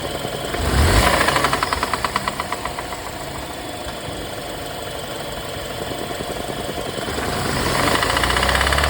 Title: BMW n20 rod knock